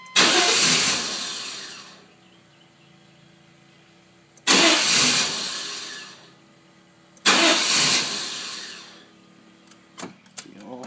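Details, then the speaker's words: GMC Suburban, check engine code 54 (fuel pump relay): three two-second cranking bursts that spin evenly but never catch; fuel pressure peaks around 12 psi and drops; with both injectors plugged in it tries to start, then floods out. "If I leave both injectors in, plugged in, and crank it, it'll try to start a couple times and then it just like floods itself out."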